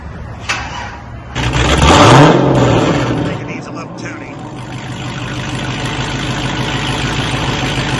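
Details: 2011 Cadillac CTS 6.2 L V8 after custom exhaust rework: custom mufflers and remade mid pipes, welded solid, leaking header-collector V-bands replaced; previously wide open. Cranks and catches, one sharp clean rev, then settles into deep even rumble with no rattle; normal exhaust note.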